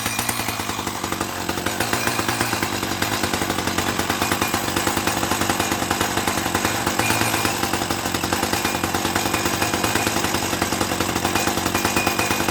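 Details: 1984 Dolmar 100 two-stroke chainsaw, warm, after repairing its snapped throttle linkage: a steady, even, raspy buzz with no misfire or stumble and good throttle response, running healthy; the stop switch doesn't work, so it is stopped with the choke.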